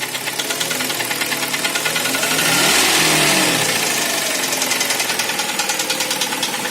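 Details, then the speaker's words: Kia Sportage SL engine: quick, regular tapping rides over the engine note, swelling briefly with a throttle blip, a knock from inside the engine suggesting it needs a rebuild. "Вот как выглядят позывы к переборку ДВС на Спартаже SL."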